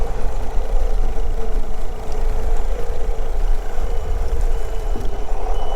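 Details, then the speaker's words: Outboard boat engine running with trim sensor unplugged: steady outboard drone with a warning alarm over it, but the older gauges give no fault codes; alarm caused by the disconnected trim sensor. "you you can hear it it's giving an alarm so it gave an alarm but it doesn't give any codes which normally it does"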